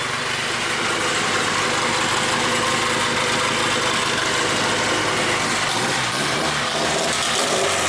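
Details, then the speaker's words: Mitsubishi 4G engine in 1G GSX AWD turbo build, after going back to factory-style coil pack with four outputs and fixing spark plug wires: steady, even idle, smooth firing with no misses; all four cylinders firing. "all right so we got some halfway fixed wires right there [Applause] sounds like a fully firing 4G to be"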